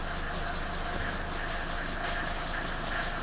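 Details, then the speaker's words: Mercedes 190 2.5 non-turbo diesel, about 30 years old, in for MOT-fail repairs, idling with loud steady even clatter after the gearbox was plugged back in, not yet at full temperature. "Difficult to a hear me over this uh 2.5 diesel non-turbo."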